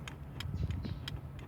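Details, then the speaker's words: 2006 Ford F150 5.4L 3V 4x4, driver's front window: down works, but pressing up gives only about four dry switch clicks with no motor hum; faulty master window switch, which sometimes grabs if pressed hard. "we only hear the the clicking sound on the switch I've actually uh been able to find the the glitch where I'm able to actually raise the window back up"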